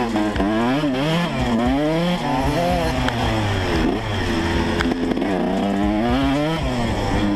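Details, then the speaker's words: 2012 Yamaha YZ125 two-stroke, in for coolant leak and idle/carb adjustment: ringing buzz blipped up and down repeatedly, picking up crisply and dropping back without bogging; running a little better. "Ah oui, ça marche un peu mieux."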